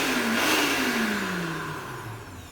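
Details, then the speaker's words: Panson 2.5 L 4,500 W blender, after cleaning the dirty commutator and carbon brush dust that caused burning smell and no rotation: smooth even whir, tone gliding lower as speed is reduced, no sparking crackle; speed control and motor work normally. "แล้วก็ลองหมุนดูนะครับตัวเร่งปรับระดับSpeedก็ใช้ได้ปกตินะครับใช้ได้เลยครับ"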